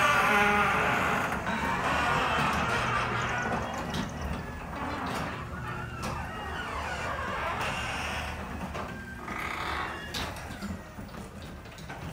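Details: Up-close recording of a Genie garage door opener, squeakier and louder than the two earlier recordings because it was run earlier in the day: repeated sliding squeals and creaks rising and falling as the door travels. Squeaky garage door, cause unknown.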